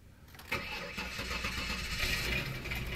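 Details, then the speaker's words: 1999 Ford Taurus 3.0 OHV V6 with an old 2009 battery discharged to 9.90 V, jump-started with a Noco Genius Boost GB30 (400 A): a brief crank, then it catches within half a second into a smooth idle, alternator showing 14.6 V. Normal start. "And she fired right up there. See the alternator voltage kicking in. 14.6."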